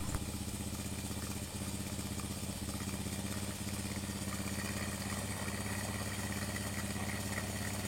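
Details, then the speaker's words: Honda Supra X 100 after replacing the valve guides and valves (plugs kept fouling black, oil seals leaking, engine running hot): smooth, even single-cylinder idle with a steady beat and no ticking, knocking or misses; engine running healthy. "untuk Honda Supra ini ini suaranya seperti ini setelah saya lakukan penggantian baik itu Bos klep sama klepnya"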